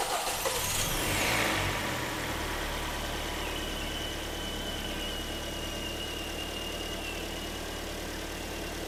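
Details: Hyundai/Kia G4KD petrol engine, first start after overhaul with Bardahl 5W40 break-in oil and fresh antifreeze: brief cranking, quick catch, steady even idle; a faint thin whistle, blamed on the AC compressor, stops soon after; normal idle.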